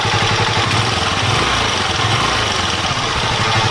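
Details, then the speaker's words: Motorcycle idling after the idle screw and air-fuel mixture screw were adjusted and the spark plug refitted: a steady, even putter with no stumbling, and it doesn't stall when throttle is applied. Normal idle. "调节过后，这个发动机就运行得很平稳，很顺利。正常给油也不会熄火。"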